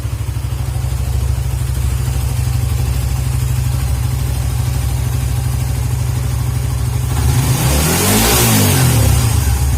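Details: Suzuki GSX motorcycle whose stumbling or near-stalling on closing the throttle was traced to a dirty idle speed control (ISC) valve, fixed by cleaning it. Steady, even idle pulse, then a clean rev that rises and drops back without stumbling or dying. Normal idle and rev.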